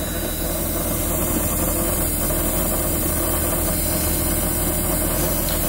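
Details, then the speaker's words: 1992 Daimler Double Six Jaguar V12 running, listened near fuel pump: steady hum with constant buzzing vibration from fuel air-purge unit, though it may actually come from the pump; odd noise at certain rpm. "it's coming from this thing which basically gets rid of any air in the fuel system before it goes up to the engine there's an odd vibration there"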